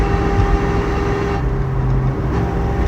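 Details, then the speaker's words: 1969 Mustang 428 with C6 and 9-inch nodular limited-slip rear, 3.50 gears, whine developed in the last 100 miles after restoration; at 55 mph, 2,500 rpm, a low whine rises under slight throttle and disappears off throttle; owner suspects the third member. "All I gotta do is press on the gas a little bit. If I let up, it disappears."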